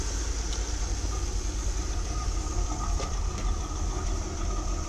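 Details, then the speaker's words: 1981 Corvette C3 V8 at idle on the stock exhaust, owner planning chrome side pipes to make it louder: low, soft, smooth, even burble with no knocks or leaks; normal idle, stock exhaust. "about as loud as it gets so you can see where i need to make it louder"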